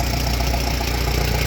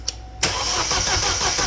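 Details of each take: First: 2012 Chevrolet Cruze 1.4L turbo after head gasket replacement, burning off oil: steady, even low idle with no misses or knocks; normal idle. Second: 2012 Chevrolet Cruze 1.4L turbo after head gasket replacement, no coolant yet: fast, even cranking for about four seconds that never fires; crank no start because fuel injectors were left unplugged, ran once plugged in.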